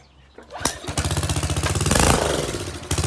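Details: Pressure washer engine on full choke, pump hooked to water: after a pull it fires and holds a fast, even single-cylinder beat without stumbling. It runs normally.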